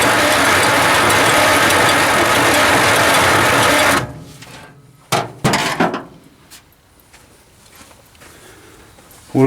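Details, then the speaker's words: 1949 Dodge Business Coupe, first start attempt in about 20 years on an old battery: starter gives a harsh, rapid ratcheting whir for about four seconds, pinion seemingly not engaging the flywheel teeth, engine not turning over properly; starter to be pulled and inspected. "turning but it sure does sound bad uh starter don't s like it's engaging in the teeth right so we'll have to pull that out and take a look at it"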